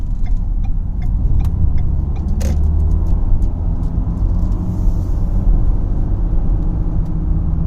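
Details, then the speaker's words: 2012 Ford Fusion SEL driving past 35–40 up to about 55 mph with a steady low humming drone over road noise, louder at 50–55. A slight vibration is possibly felt; cause not identified. "See if you guys can hear that humming sound. Past 35, 40 now. About 50, close to 55. It gets louder at 50, 55, and I think there might be a little bit of a vibration."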